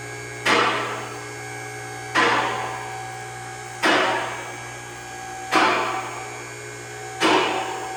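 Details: Challenger CL10AV3-2 three-phase car lift raising a Volvo 850 T-5R: sharp clicks about every 1.7 seconds over steady motor hum; normal automatic safety lock engagement.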